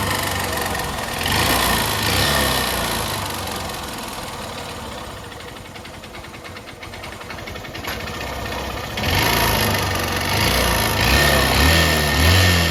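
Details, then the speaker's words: 125cc motorcycle with only 11,000 km: hollow knocking a couple of times a second, louder as throttle opens, piston slapping the cylinder wall; faint fine noise is not timing chain, piston sound stays within engine. "Sound ए रहा है gas यह piston का sound है और बाकी हल्का सा बहुत ही बारिक सा जो है हमें टाइमिंग चैन की साउंड ग रही है यह टाइमिंग चैन की साउंड नहीं है"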